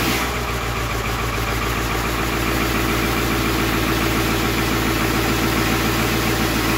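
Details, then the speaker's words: 7.3 Powerstroke (Navistar T444E) turbo diesel, about 372,000 miles, unrun for two years, cold start: even rhythmic clatter about 3.5 beats a second at steady idle without stumbling, exhaust back pressure valve audibly working; normal cold idle. "sounds like the exhaust back pressure valve works [Music] well there you have it it's alive"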